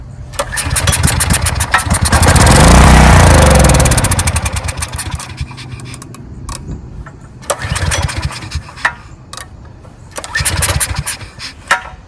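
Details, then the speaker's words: 14-year-old Briggs & Stratton generator that sat 5+ years, gummed fuel line suspected: it catches on a carb cleaner spray, revs a couple of seconds, then sags and dies in weak sputters, pointing to a fuel delivery fault. "so what this tells me is it's a fuel delivery issue"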